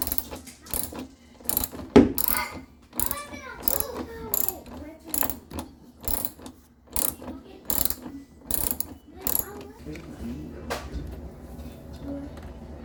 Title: Knocking noise coming from washer. #repair